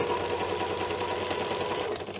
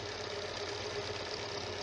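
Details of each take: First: Janome sewing machine running: a fast, rattly clatter with a clicky metallic edge, then it winds down; the bed is loose (adjuster screws retightened) and the moving pivots are dry and need machine oil. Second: Janome sewing machine after tightening a loose, noisy part and oiling the moving points: light, even whir with a soft steady tone and no heavy thumping or grinding; runs smoothly after repair.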